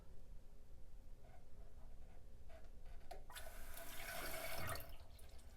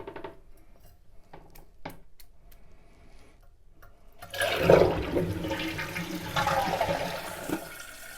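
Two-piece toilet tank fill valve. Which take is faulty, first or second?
first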